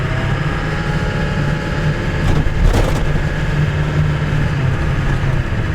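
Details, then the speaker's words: 1999 Ford F350 7.3L PowerStroke turbo diesel, in two-wheel drive, cruising near 40 mph: a deep, steady diesel drone under light road noise with no knock, misfire or whine. Normal, healthy running under load. "sounds healthy"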